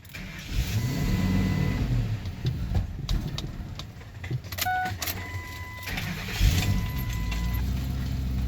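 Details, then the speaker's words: Engine catches, runs a second or two, then stalls under a door chime before cranking again; initially suspected exhaust restriction, actually a mass airflow sensor issue. "just because it would start and then kind of stall pretty quickly. But we had a problem on the other end. We had a mass airflow issue."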